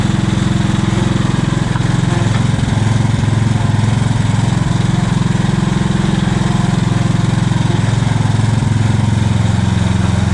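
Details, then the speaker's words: Revived old Scag hydrostatic walk-behind mower with a new carburetor and ignition coil: a steady single-cylinder chug at constant speed with no misses or knocks. The engine runs perfect, as smooth as a newer Scag with 200 hours. "the engine's running perfect it actually runs as well and as smooth as my dad's newer skag that's only a couple years old with 200 hours so the motor seems great"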